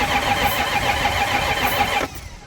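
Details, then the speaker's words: Flood-totaled ZR1 Corvette, previously running after engine repairs: starter cranks evenly for two seconds but never catches, fuel gauge showing zero PSI, fuel pump fuse FP1 fine; crank no start, no fuel pressure. "it would be a very weird instance for car to be running good one moment then be a crank no start the next moment with zero PSI of fuel c"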